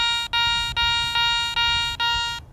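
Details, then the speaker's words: Garrett ACE 400i metal detector, 10 kHz, bench test over a Roman coin with iron audio on: five clear, evenly spaced high tones with no iron grunts; clean non-iron target response. "that's still got a nice clean sound."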